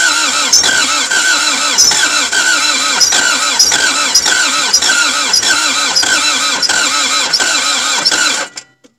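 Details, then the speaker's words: Toyota MR2 AW11 after cleaning injectors and distributor, battery recharged between tries: steady rapid cranking for eight seconds without catching, cranks but never fires; owner suspects worn piston rings and cylinder walls, not valve seals, distributor timing possibly off. "I don't think it's valve seals man I don't think it's like Lanchester I just honestly think these pistons are super smoked like I think the piston rings and the cylinder walls are smoked to death"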